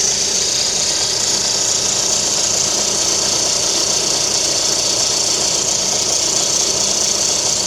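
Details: VAZ 11194 engine in a Lada Kalina, timing belt cover removed: steady high-pitched whistle over the running engine, unchanged through the clip; timing belt whistle.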